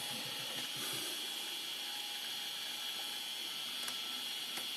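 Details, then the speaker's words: IBM ThinkPad 380D laptop running Windows 98 with 48 MB RAM: steady high-pitched whine with faint irregular clicks from the hard disk, which sounds worn and likely failing. "oh my goodness, I really don't like the sound of that disk drive at all. It looks like it's, sounds like it's not long for this world, if you want my opinion."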